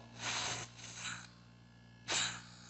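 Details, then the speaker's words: Refrigerator compressor on mechanical test: starting draw 4.6 A then dropping below the expected ~1.2 A; steady hum broken by hissing spurts as it spits a lot of oil into the system, indicating a compression problem. "só que ele tá guspindo bastante óleo então agora a gente entende que ele está com um problema de compressão ele está jogando muito óleo pro sistema"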